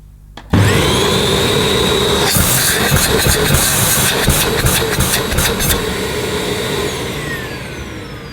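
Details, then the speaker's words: Dyson Cinetic Big Ball Animal 2 canister vacuum, new, lower wattage; motor spins up to a smooth, steady whine, then rushing air bursts as the inlet is blocked and the suction relief valve opens; normal run, quite pleasant noise. "Yeah, it's not a bad noise, quite pleasant."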